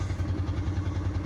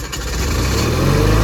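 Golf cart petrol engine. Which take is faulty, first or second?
first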